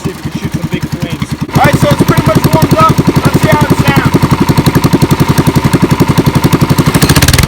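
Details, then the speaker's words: Mini cup car (NASKART) small single-cylinder engine free-revving: a hard, even, rapid popping beat. The governor is apparently removed, with a breather where the governor arm would be, so likely no governor limit. "So that sounded sick. I'm pretty sure that the governor is removed on this thing because it looks like it has like a breather going in where the governor arm would be. So without a governor arm, your governor does not function."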